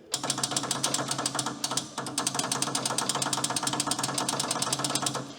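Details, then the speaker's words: Old Michigan loader rescued from scrap, first start attempt: rapid chattering clicks, about ten a second, with no cranking; cheap starter relay chattering, contacts possibly dirty. Repeated tries later got it to crank. "We got relay clickage. Well, you know, work. This is just one of those cheapo relays."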